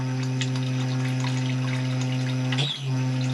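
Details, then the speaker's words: Loft header tank float (ball) valve heard with shower pump and hot tap running: loud, steady low droning hum from the valve vibrating on a worn washer, to be fixed by replacing the whole ball valve. "So basically it's the ball valve gone, the washer in it."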